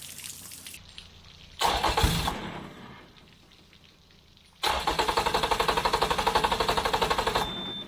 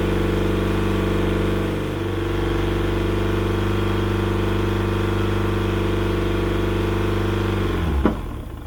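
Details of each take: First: Yamaha outboard on 1980/81 Sun Tracker Party Barge pontoon, water hose on, before carburetor cleaning; catches, falls flat and dies, restarts with even chug about four per second then cuts out: fuel starvation, fuel tank vent closed, primer bulb not soft. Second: Yamaha outboard on a 1980/81 Sun Tracker Party Barge pontoon, at spring startup after years unused, before carburetor flushing: steady, even idle with no misses for several seconds before shutoff; whatever was troubling it appears to have passed through.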